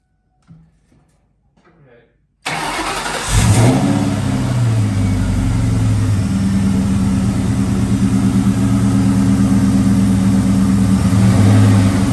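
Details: Ford Mustang Bullitt after replacing a starter that stuck, would not retract and dragged on the flywheel, marring it: silence, then a quick clean crank and catch, a short rev and a steady even idle with no starter grinding.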